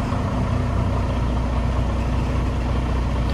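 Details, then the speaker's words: Freightliner Cascadia DD15 diesel, recently worked on, started before compression test and valve adjustment, check engine and ABS lights on: deep, even idle rumble, steady beat, no ticking or misses; oil pressure about 60 PSI, sounds good. "pretty good pretty consistent about 60 PSI I'm just going to round it up not a big deal the truck itself sounds really good I do like the way it sounds"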